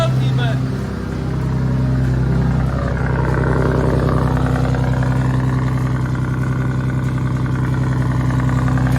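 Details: BMW E46 turbo, first start after a long layoff. Loud idle with a steady tapping, about three or four per second, over a deep drone: a knocking or exhaust leak-like noise. It persisted after retightening the exhaust, removing the valve cover and swapping PCV cam covers.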